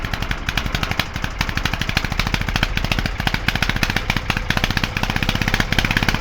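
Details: Petter AC1 single-cylinder diesel on old Kango generator, likely late 1970s, left outdoors for years, first start near 0°C after cranking with decompression lever: steady even thumping about ten beats a second, no misses; running fine.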